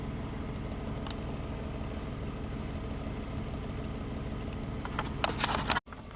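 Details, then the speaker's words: 2005 Nissan Maxima V6 with a junkyard replacement engine, 165,000 miles, after fixing a cylinder 3 misfire (P0303) and clearing codes. It now idles smoothly with a quiet, even hum and no misses, though warning lights remain on (ABS sensor C1103, battery light). "Man, it's got all the warning lights on, huh? Oh well. Runs perfect."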